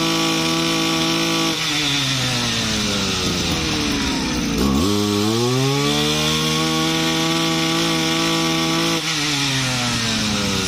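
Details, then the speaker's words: Used Japanese Kyoritsu RM24 two-stroke brushcutter, about 4 kg, freshly refurbished, gear head only without blade: even buzz that drops and climbs smoothly with throttle, holding steady revs; not very loud, starts easily, healthy running. "ก็ไม่ดังมากนะเสียงก็ไม่ดังเท่าไหร่อ่า"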